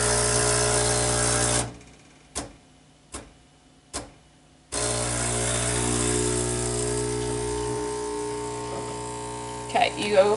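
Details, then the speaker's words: Breville 800ESXL Duo-Temp Pro espresso machine (15 bar pump, low-pressure bloom then rising pressure) set to espresso side: steady buzzing pump cuts in with three evenly spaced taps about a second apart during a shot; normal pump operation. "you're going to hear it the pump is going to start and then you're going to hear it tap tap tap and then we're going to give it about 25 to 30 seconds here we go"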